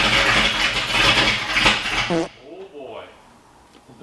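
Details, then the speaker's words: Ford Foxbody just rebuilt in one day, first start attempts after adding two missing coil grounds; engine catches and runs ragged with uneven pops for two seconds, then dies; owner suspects ignition timing issue. "there's ignition but it's sounding like it's a timing issue so I gotta look at it"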